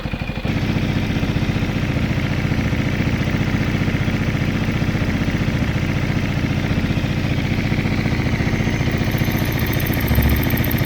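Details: Benelli Motobi 200 Evo single-cylinder motorcycle after its clicking noise was fixed: steady even idle putter with no obvious clicking.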